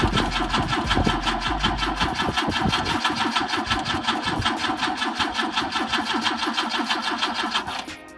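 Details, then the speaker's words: BMW with M10 engine, first start attempt after 1.5 years not running, fuel in tank: steady rhythmic cranking about two and a half beats a second with no catch, then stops; won't fire, suspected not enough fuel. "Close. Maybe you need more fuel. It's gonna pump it. We just gotta keep going, I think."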